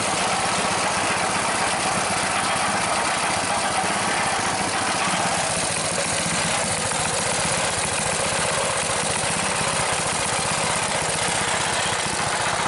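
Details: Rebuilt Briggs engine with new rubberized head gasket and muffler, venturi adjusted: steady smooth buzz, no misses or knocks, idle deliberately kept a little fast; normal running, slightly fast idle.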